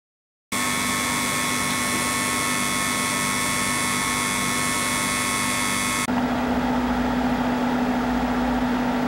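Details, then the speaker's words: Cooler Master Hyper T2 replacing a noisy stock heatsink fan on an AMD FX8350, after install, CPU at about 80% load on all eight cores: steady even whir, soft hum, no rattle, much quieter than the old propeller-plane sound; normal CPU cooler fan. "there's the end result as you can hear it's a lot quieter than what it was before"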